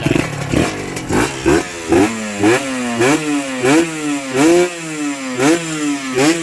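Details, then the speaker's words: Honda NSR two-stroke motorcycle, square-headlight model, likely freshly rebuilt, stainless DBS exhaust: crisp throttle blips about every half second, revs snapping up and dropping cleanly with no whine; responsive, healthy. "ก็รอบบิดติดมือครับอย่างที่ผมไปเทสมาก็คือรถมันวิ่งดีนะครับขับสนุกไม่ต้องรอรอบไม่ต้องเค้นรอบนะครับ"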